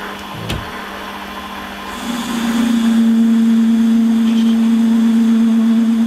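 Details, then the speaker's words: Holzmann ED400FD lathe at 600 rpm, automatic feed, turning a bar to 24.85 mm. Loud, steady singing tone that rises and holds through the cut. Chatter because the bar sticks out far with no tailstock center. "ja und wie man hört ist das geräusch das lebe also ist es wirklich darauf geschuldet dass das einfach so lange ausgespannt ist und weil der spitze gesetzt"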